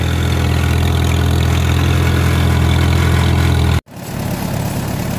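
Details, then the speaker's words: Farmall M tractor idling normally after a short drive, with a double fuel-filter setup; an earlier shutdown was blamed on faulty wiring: even low thumping idle, steady and smooth with no misses, then a brief cut and return. "I don't know, sitting here idling."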